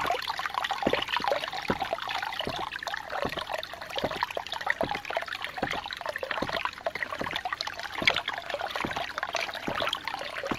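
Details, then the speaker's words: New 2-inch Agri Papa Pump ram pump with its adjusting ring turned to use less water, someone standing on the drive pipe: sharp, regular valve slaps about twice a second over running water, still cycling steadily. More flow makes it hit harder and pull itself apart. "whenever this ring right here is turned it will actually cycle with more water being used it also hits harder and it's going to pull itself apart"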